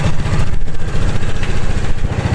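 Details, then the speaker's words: Griffin 180i scooter warmed up after CVT tuning with mixed-weight flyball rollers and greased dowel: even, low, throbbing idle with steady beat, no rattles or knocks; engine and CVT sound quiet and healthy, normal idle. "So yan, higpitan na natin para ma-warm up na natin, matry na natin mga kalayo. Yan, tahimik naman. Diba? Ayos na"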